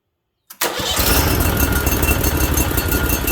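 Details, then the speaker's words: Briggs & Stratton Vanguard, 18 or 20 hp, with head gaskets redone and an oil cooler newly installed, on its first start with a fuel shutoff solenoid: a brief crank, then it catches at once into an even, quick firing beat. It sounds healthy. "All right, she sounds real healthy, eh?"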